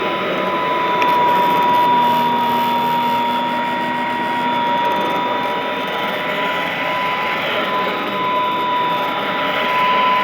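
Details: Vintage all-metal Royal Model 153 vacuum, owned 22 years, 3-amp bushing-style motor; even, quiet drone with steady tone and only a faint light tick; normal running.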